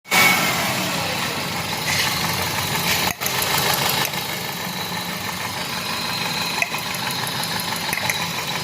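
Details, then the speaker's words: Car engine misfiring with an uneven, lumpy idle and an off-beat stumble as one cylinder drops out; spark is OK but that cylinder's injector is not firing because of a faulty ECM injector driver. "Missing है यह injector इसका कम नहीं कर रहा"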